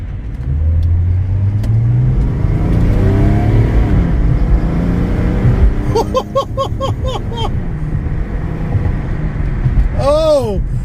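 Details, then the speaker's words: Mercedes-Benz E300 OM606 turbodiesel, after it had thrown codes and not boosted (no new turbo was needed), full-throttle acceleration: a deep rumble climbs steadily and pulls strongly. Normal boost, where before it took two miles to reach 70 mph. "this thing was a snail it took me when i merged on the freeway the other day it took me two miles to get to 70 miles an hour oh it's just boosting perfectly"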